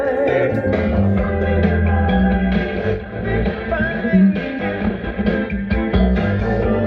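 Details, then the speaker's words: 1965 Admiral combination color TV and stereo phonograph, first power-up with FM radio tuned: clear, full music with solid bass and no crackle, hum or dropouts; normal radio playback. "[Music] you can hear the stereo is working [Music]"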